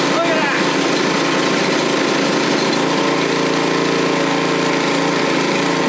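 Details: Single-stage snowthrower, first start of the season on 18-month to 2-year-old Stabil-treated gas: it fires right up and holds a steady, busy high-idle rattle without stumbling. Normal cold start.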